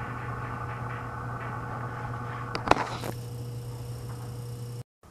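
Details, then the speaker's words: Frigidaire 5400426 antique fridge on butane charge, started on its original relay starting system. The compressor gives a steady, even low hum with a clean tone and no knocking or rattling; it runs smoothly and healthy, like an AS76. "That sounded perfect. Sounds just like my AS76 does."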